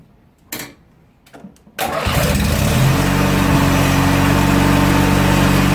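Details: Riding mower after winter storage, with the battery refitted, a new starter relay and a cleaned fuse: a couple of clicks, then the starter cranks and the engine catches at once, settling into a steady even run. Normal start.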